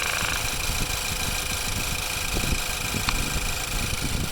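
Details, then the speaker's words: 2015 Ford Focus GDI engine idling with oil filler cap removed while running: even idle under airy rushing hiss from the open filler neck, no knocks or misses; normal crankcase blow-by. "But it looks like there's blow-by, but that is actually normal."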